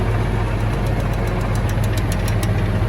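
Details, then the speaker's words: Case CS150 tractor at steady diesel idle with PTO engaged, out of gear: light irregular clicking about four a second over the drone; normal for this model. "it's not because I have it out of gear inside, but you can hear it clicking on it. It's normal with the CS."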